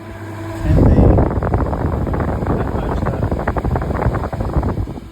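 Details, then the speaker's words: Fridge unit reported with fans running but compressor not, run through a compressor analyzer at 250 volts, compressor drawing 2.46 amps: deep steady compressor hum with fans spinning, no knocks or rattles; all running fine. "Okay. So, that's so that's all running fine. We got it all running."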